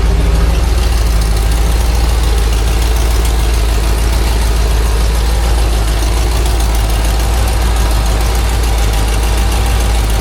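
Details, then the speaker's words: 2005 Chevrolet Silverado 2500 HD 4WD with a 6-litre V8, running in drive with the wheels off the ground: a deep steady idle with uneven knocking underneath, about three a second; the transfer case tail shaft shakes from a worn U-joint. "That got a bad u-jint. Look at that transfer case shaking. See it?"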